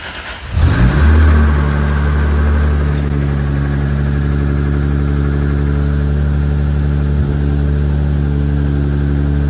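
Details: Toyota Supra with big turbo, true 4-inch exhaust, first start on freshly loaded base map: cranks, catches at once and settles into a deep, even idle with no knock or miss; healthy, small oil leak at oil cooler sandwich plate noted.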